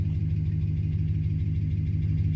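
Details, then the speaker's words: 2009 Dodge Ram Sport 5.7 Hemi, just started after a fuel pump replacement cured a no-start, left running to check for leaks: a deep, even idle with a smooth low rumble, no misses, knocks or ticks. Normal idle. "It crunked up. It started. Now I'm gonna let it run for a little while."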